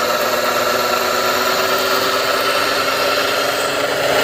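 A steady, harsh grinding hiss with a faint whine runs evenly as the car sits near idle. Cause suspected, not confirmed.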